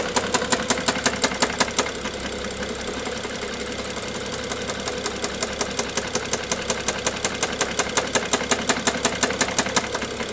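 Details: BMW F07 with N55 petrol engine: steady idle with a sharp, regular engine knock, close to three per second.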